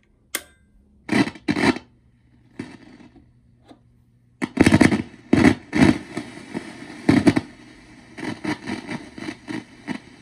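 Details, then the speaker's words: Silvertone 1431 tube guitar amp (6AU6 preamp, 6V6 output, 6X5 rectifier), no signal input: low hum broken by irregular sharp crackles and pops. "even before putting signal through it, we can hear how sensitive and crackly the amp is."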